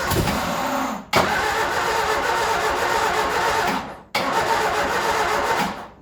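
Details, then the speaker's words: Ford Escort revived after 14 years neglected runs on starting spray pumped down the carby: short bursts that die away twice, uneven and struggling at each start; rough running, not as well as 14 years ago. "My God, that is running bad. But there we go. 3 days later, a lot of buggering around, and she runs. Not as well as she did 14 years ago, but she runs."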